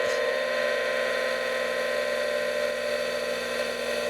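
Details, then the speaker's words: Apple Profile 5MB hard drive, powered on standalone with the microphone next to it, running its power-on self test: steady whirring spin with a faint whine and slight soft seek ticks as ready lights blink; normal, relatively slow self-test. "It sounds like the drive is seeking just slightly as it does this. I recall this process is relatively slow."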